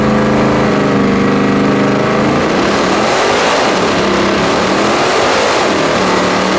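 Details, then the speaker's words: 1970.5 Camaro Z/28 drag car, LS6 V8 on FT550 EFI, TPS-based tune, on hub dyno; uneven ragged stumbling rev that won't clean up as revs climb; timing about 20° retarded, fixed by adding 20°; retarded ignition timing. "that's what 20 more degrees of timing does so I got it that's why it sounded funny and everything"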